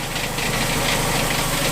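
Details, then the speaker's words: Cheap Dodge Neon automatic with a stalling problem, wheels lifted about four inches and spinning: coarse rattly churning over the engine hum; torque converter found bad and won't disengage, transmission to be replaced. "so this is sort of a stress reliever tonight to find it out that the the torque converters bad now I know the transmission"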